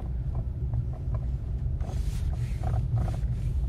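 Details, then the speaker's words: Renault Megane: light irregular suspension knocks over small bumps at very low speed, absent on smooth road or large bumps, over low road rumble; cause suspected, not confirmed. "когда едешь появляется вот этот долбанный звук когда едешь по ровной дороге или по большим объемом кончиком и этого звука нет а вот как вот вот даже на мелкие мелкой"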